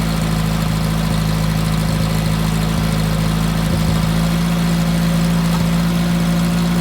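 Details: Fresh-rebuilt VW Type 1 1776cc flat-four (Engle 100 cam, 90.5mm AA pistons/cylinders, 69mm crank) on the bench: smooth, even low idle with a steady beat and no ticks, misses or knocks after the Flamethrower distributor swap, during dynamic retiming; normal idle.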